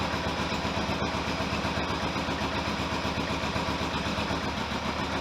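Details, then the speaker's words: Kawasaki GPX750R four-cylinder motorcycle idling dead cold on about half choke at 800–900 rpm: a steady, even patter with no noises, rattles or knocks; the only fault noted is a fuel leak. "I don't know what it sounds like on camera, but there's no noises, no bad rattles, no nothing."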